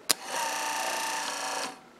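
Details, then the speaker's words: Refurbished wiper motor from a roundtail restoration, bench-tested on a power supply; a click, then steady whirring hum about a second and a half as it runs to the park position and stops cleanly: normal wiper motor self-park. "Now when I release and remove this screwdriver, you'll hear the motor run for just a second or two until it gets to where that parking brake is, and then the motor's going to stop."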